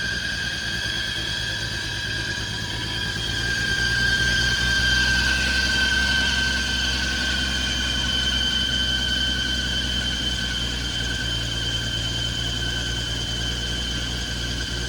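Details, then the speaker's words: 1980 Ford F100 V8 that sat outside for 20 years, first start, idling: a loud, steady high-pitched fan-belt squeal over the idle, first blamed on a stuck AC compressor, though the AC was then found not to be stuck; cause uncertain. "that uh belt noise is uh the fan belt because the ac is stuck"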